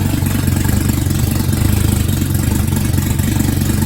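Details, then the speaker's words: Jetta rebuilt engine on its first start after reassembly, exhaust manifold not connected and no coolant yet: a loud, raw but even, throaty idle with no knocks or misfires; it runs smooth. "And I mean, it sounds good. It's running smooth. Yeah, Running really smooth. It's just idle."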